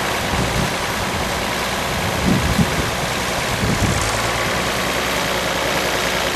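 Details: Unrestored 1955 Allis-Chalmers WD-45 diesel tractor on a warm summer day, already run earlier, lightly preheated: steady low diesel clatter at idle, even and unbroken under wind noise, no knock or miss; normal healthy running.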